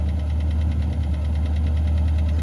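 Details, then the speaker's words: Long-stored jet-age barn find car, first drive after revival, carburetor still overflowing: deep steady idle with a light regular tap-tap-tap at engine speed, a valvetrain-type tick, source not pinned down. "I hear the thing tap, tap, tap away."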